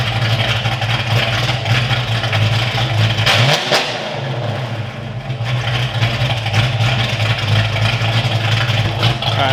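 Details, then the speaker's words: Foxbody Mustang V8 after engine work was wrapped up: even lumpy idle with brief rev blip, no ticking or clatter, valvetrain healthy; owner says that's how it's supposed to sound. Normal idle. "That's how it's supposed to sound. Love to see it."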